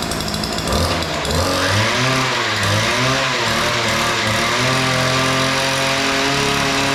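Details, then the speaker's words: Weedeater 2-cycle edger after opening both carburetor mixture screws, which were set too lean: crisp two-stroke buzz rising and falling cleanly with the throttle, then holding steady; it starts easily and runs well. "All right. So, that sounds pretty good. The uh screws were just way out of adjustment. Uh they were both too lean. I opened them both up and it seems to have fired up and started running pretty good."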